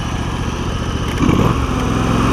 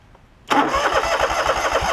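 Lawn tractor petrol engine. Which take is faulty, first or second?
second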